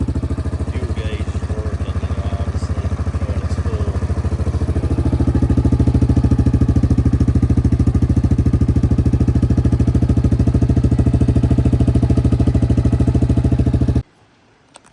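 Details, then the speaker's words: 2019 Yamaha Kodiak 700 ATV running after replacing stock fuel pump (intermittent starting issues) with All Balls Racing pump: even regular thumping that steadies and fills out around five seconds, then shuts off cleanly; running smooth and healthy. "So, the Kodiak is back um back running with the new All Balls racing fuel pump."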